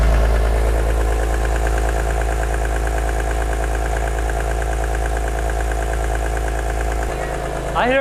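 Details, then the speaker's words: Wrecked 2006 BMW E46 M3, S54 engine, microphone close to the engine: loud steady high whine over an even idle; suspected from the un-serviced VANOS, possibly a pulley; source not confirmed. "don't hear that whining and that loud it's so loud oh man"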